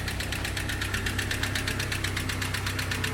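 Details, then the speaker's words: 1976 Datsun 620 pickup (Chinook Gazelle camper), long unloved: steady, sharp diesel-like clatter about 160 a minute over the idle from the top end; owner suspects valves or head, cause unconfirmed. Valvetrain ticking at idle. "Sounds like a diesel, but I think it's coming from the top end."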